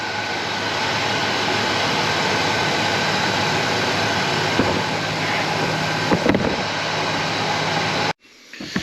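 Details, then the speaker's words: 1966 Cadillac Sedan DeVille V8, 28k original miles, sat over 10 years, warm after revival: smooth steady idle hum, the earlier lifter tick now completely gone; runs beautifully. "noise went completely away lifter must pump back up or whatever i figured that's what it was runs beautiful"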